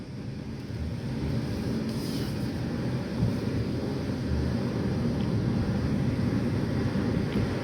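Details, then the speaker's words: Chevy Equinox (code P0010) test drive after installing two new parts and clearing the check engine light: steady smooth engine and road rumble, no stumble; before repair it stalled at stops and hesitated badly on acceleration. "i got both of the new parts installed cleared the check engine light taking it out for a test drive now and honestly it drives like a normal car now"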